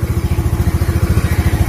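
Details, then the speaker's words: Honda Beat scooter after a CVT pulley service that was meant to cure a crackling "kretek-kretek" noise: deep, even exhaust pulses while revving, with no crackle or rattle; drive sounds smooth, normal revving. "Sekarang saya akan coba nyalakan. Halus. Oke."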